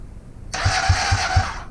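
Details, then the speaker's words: Honda CB250N Superdream project bike being cranked with no fuel, on a freshly charged battery with a charger and auxiliary battery connected: the starter whines with heavy thumps and turns over without firing. It cranks faster than before, but the owner still suspects a lazy starter motor. "One thing I'm going to do is this starter motor still seems lazy to me, so I'm going to whip it off."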